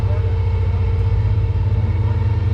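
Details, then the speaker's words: Car (the Roadkill giveaway car) at a drag-and-drive event: starter stuck engaged, a steady low whirring drone with no engine firing. Stopping it left the battery dead, needing a jump. "well already we're running into problems the starter stuck on and if you guys can hear it the starter is just sitting there turning"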